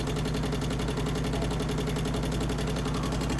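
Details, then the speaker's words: 2008 Harley-Davidson Street Glide twin cam, just fitted Screamin' Eagle 255 cams, new inner cam bearings, pushrods adjusted, first startup: fast even ticking over lumpy V-twin idle from the top end; cause not yet identified. "As you can probably hear, we've got a tick in the motor up here for some reason. I don't know what, trying to think of what could have went wrong or what's could be causing that."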